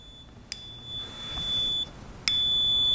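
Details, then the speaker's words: CNC probe/edge finder used for setting the G54 work offset. A click is followed by a thin, very high-pitched steady beeper tone. The pitch is unusually high; cause of the high pitch is unconfirmed. "if you listen here on camera guys you'll be able to hear this beeper nice bright LED and quite loud"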